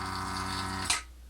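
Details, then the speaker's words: Basement sump pump tested for float function: the running pump and water gush stop abruptly, leaving quiet, as the float shuts it off on its own once the water is low enough, which is normal; normal shutoff. "there it is it turned off on its own because the water is low enough and that's normal"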